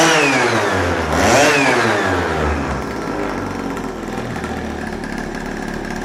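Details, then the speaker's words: Chinese pocket/mini bike two-stroke, Dellorto SHA 15mm carb, first run on old oil-rich fuel mix: crackles to life, pitch swings up and down on quick blips, settles into a steady run; sounds like a proper bike. "But she sounds absolutely amazing. It sounds like a proper bike right now."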